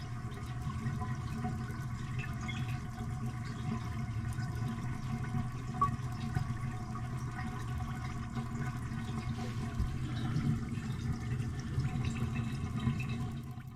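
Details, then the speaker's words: Old toilet before replacement, jets clogged with mineral deposits and fill valve faulty; steady low water hiss and trickle runs on without tapering off; slow tank refill. "This takes a long time to refill."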